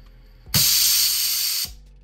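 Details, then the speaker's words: Autoclave sterilizing bagged tattoo grips, about 1.5 minutes into the cycle once temperature and pressure are reached: a sharp, steady hiss of steam lasting about a second, then cutting off cleanly; relief valve venting normally to hold steady pressure. "that's the pressure valve releasing pressure. And you're gonna see it's going to do that throughout the process here to keep the pressure at a steady pressure."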